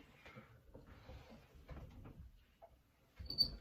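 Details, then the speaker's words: Old rusty door hinge after a first spray of lubricant into the pivot: faint, brief high-pitched squeak as the door swings amid handling noise; still needs more passes to quiet fully. "still a little squeak so what i like to do is keep the door open a little bit"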